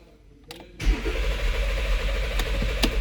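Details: 2014 Porsche Cayenne (92A), arrived not starting: silence, then starter churns steadily about two and a half seconds without catching; crank no start, fuel pump and fuel pressure being checked.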